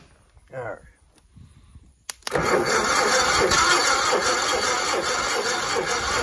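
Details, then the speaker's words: 1960 Onan industrial engine for a homemade Model T replica truck, unstarted for many years: new spark plugs, spark on both sides, fuel poured down the neck; slow cranking about 2.5 turns a second, never catches; battery weak, not picking up fuel, owner suspects vacuum fuel pump lever. "I need a battery charger got spark now still not picking up any fuel"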